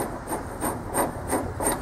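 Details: Mower deck spindle with loose bearings in the housing and shaft seized to the bearing, turned by hand: rough, gritty rasping about three strokes a second from a worn spindle bearing; bearings replaced and housings made greasable.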